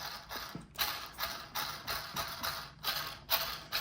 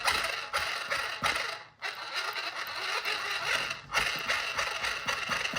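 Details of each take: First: Kyosho Outlaw Rampage Pro RC truck, before spur gear swap: throttle blips give gritty, hissy gear rush, noticeably better with no piercing high-pitched whine left. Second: Kyosho Outlaw Rampage Pro RC truck: loud, shrill high-pitched gear whine rising and falling with throttle, believed to come mainly from the stock spur gear running out of round.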